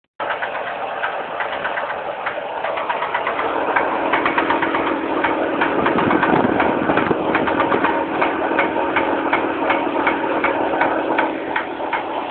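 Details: Fiat Marea at idle: sharp, even ticking about 160 per minute over a steady idle; light mechanical tick from the engine, cause not yet known.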